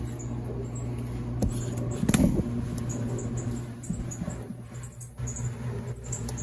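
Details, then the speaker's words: Laundromat top-load washer running in rapid advanced mode: a low steady hum with faint, irregular high mouse-like chirps; a squeak in the drive that sounds more like a spring than an idler pulley, cause not confirmed. "that's there to me sounds like more of a spring squeaking then it does a uh it does a actual you know um idler pulley"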